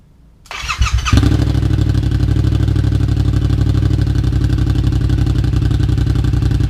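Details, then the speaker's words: 2015 Yamaha FZ-07 just fitted with an M4 exhaust with the dB killer in and the O2 sensor reinstalled: brief cranking, then a loud, deep, even thumping idle. There are no exhaust leaks, so it runs healthy. "I'm going to try to get a decent exhaust clip, but I'm pretty sure this thing is almost as loud as my dad's Ultra Classic."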